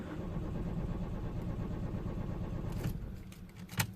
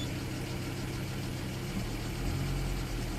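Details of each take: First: 2004 Citroen C4 1.4 petrol (KFU) non-runner, jump-started after a flat battery, codes P0201–P0204 and P0443 open circuits: starter cranks steadily and evenly under three seconds but never fires; crank no-start. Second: 2004 Citroen C4 1.4 petrol (KFU) with injector/purge open-circuit codes. With voltage fed directly, it starts straight away and idles steadily and evenly with no misfire. It shuts down when that feed is removed, so relay number two is suspected faulty.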